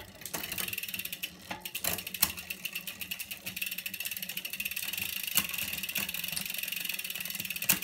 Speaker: that jumping around making a nasty old noise up to the top here down again